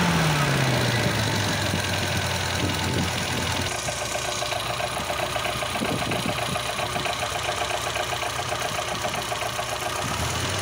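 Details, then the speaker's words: Volvo B20 petrol engine idling roughly with an uneven, diesel-like clatter; worn fibre timing gears let the ignition timing bounce around, especially at idle, causing knocking. "听起来像柴油不均匀。到处乱跳表明正时齿轮明显磨损它会使发动机爆震正时齿轮本身磨损所以点火正时弹跳特别是在怠速时"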